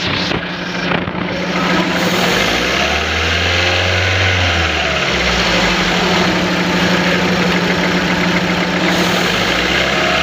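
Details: Engine with cylinder no. 1 not working, knocking and jerking, throttle valve not opening, ignition on and accelerator blipped repeatedly: idle stumbles unevenly, then a rough lumpy rev, suspected one cylinder not firing.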